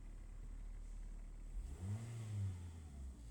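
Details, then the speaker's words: Car that fails to start when ground is wet, starting on a dry day; owner was told plugs, wires, starter or coil; engine idles low and even, revs cleanly and settles, no misfire or stumble. "It just started right up. You just heard it start, right?"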